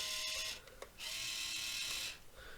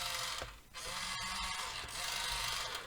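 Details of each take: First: 1:28 scale RC wheel loader (Rui Chang QY2302, Volvo L350 copy), first test after poorly packaged shipping: two short high-pitched whirring bursts from the steering motor with wheels not turning; steering likely broken, stripped gears suspected. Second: 1:28 scale RC wheel loader (Rui Chang QY2302): harsh high-pitched buzzing whir dipping and returning as the cheap plastic toy gear motors start and stop; typical noisy toy motors, as expected, nothing wrong.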